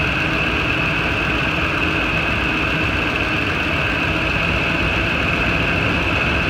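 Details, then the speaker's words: Ford F-250 idling after a serpentine belt tensioner replacement: steady, even idle with a constant whir. The growling noise the old tensioner made is gone, and it runs smoothly. Normal idle. "look good running good that was successful"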